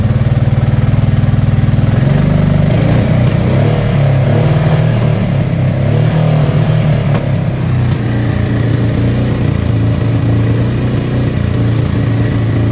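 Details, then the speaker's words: Honda Deauville NT650V5 V-twin after plug cap change, plug cleaning and a new battery, with fuel in both float bowls: it runs fast and uneven, surging and hunting with popping and backfiring, idling too fast. Owner expects the timing needs more adjustment. "puffing along nicely. Now it's full of shit, I suspect. It's still popping and backfiring, but we'll see what happens."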